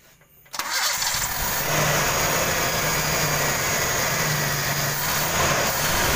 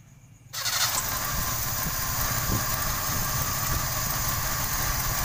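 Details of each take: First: 1995 Toyota Kijang 5K cranks and catches, then idles slightly uneven and hissy; idle abnormal, stalls; leaking distributor vacuum advance upsetting idle. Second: 1995 Toyota Kijang 5K engine after abnormal, stalling idle was fixed by plugging a likely broken part with a bamboo plug: catches quickly, steady even idle without stumbling; normal idle, power slightly low.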